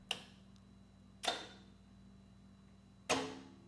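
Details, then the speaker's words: 20-year-old Watchdog Generac standby generator (model 0053820) blowing its 15 A system fuse, non-original starter 0E4271 fitted: three sharp clicks and no crank as contactor draw surges to 30 A; suspected contactor or starter. "I did hear it click. Uh, the engine actually didn't crank, though."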